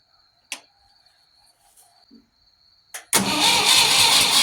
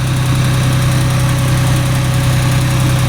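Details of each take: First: Ford 3000 tractor right after replacing the starter solenoid, fuel possibly not turned on: long quiet crank, then catches abruptly into a loud, busy run; hard starting. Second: Ford 3000 three-cylinder tractor after warming about 5 minutes: third cylinder kicks in, steady even low chug at idle with all 3 firing cleanly, no miss or knock; normal idle.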